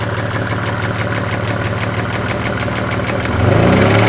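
Light, regular ticking at about four per second rides over a steady idle, typical of collapsed hydraulic lifters tapping on worn cam lobes.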